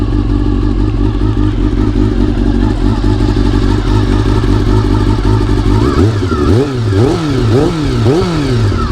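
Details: Honda CBR400RR (NC29) after swapping in a CBR600F fuel pump to cure pump noise: smooth idle, then quick clean throttle blips rising and falling evenly, no pump whine; fixed, healthy.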